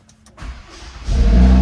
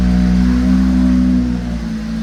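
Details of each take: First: Fire-damaged Audi RS3 after key reprogrammed with factory scan tool: short crank catches quickly and rises into a strong, steady deep idle; clean start, secondary air working. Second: Fire-damaged Audi RS3 just started after sitting long and key reprogramming: fast cold idle with deep steady drone that drops and settles after seconds; slight cold-start roughness, owner thinks from not running a long time.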